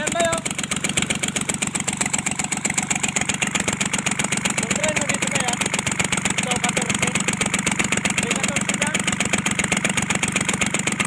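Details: Kubota L1-255 diesel: a hard, even knock about four per second over a rattly idle, with white smoke. Traced to a faulty cylinder head, fixed by replacing the cylinder head.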